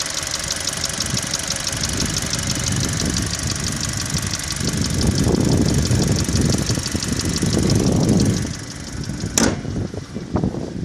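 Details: Engine knock on a Hyundai 2.0 G4NA, fully warm after a 1.5 km drive: a light, uneven ticking knock about four per second at idle that comes and goes at random regardless of warm-up; the dealer says everything is normal.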